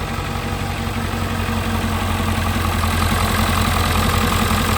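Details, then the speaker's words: 1997 Ford Powerstroke diesel just started after two years unused, white smoke at startup, alternator suspected of weak charging: steady clatter at even idle, about two to three beats a second, no stumble; normal idle. "All right. She sounds good. I drive this thing to Florida right now. Let's go."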